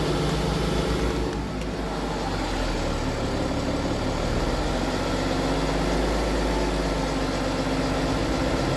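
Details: BMW F15 X5 with N57 diesel at idle: faint loose ticking rattle in the clatter; suspected timing chain noise, not confirmed.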